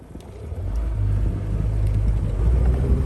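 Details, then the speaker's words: Honda BF75D/BF90D outboard whose lower section flooded with salt water: droning motor sputters unevenly at wide open throttle, limited to about 3,000 rpm; misfire, owner suspects a spark plug, plug wire or fuel injector. "you can hear it buttering wide open throttle almost like it's missing a cylinder or uh something uh with the fuel"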